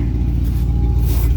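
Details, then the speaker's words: Ford 7.3 diesel swap truck, possibly low on oil, idling at 900 rpm: deep, steady low rumble with no knocks or misses, smooth and even. "oh dude, she sounds good. We got her to idle down, so she's idling at 900 RPM. That's right where we want her."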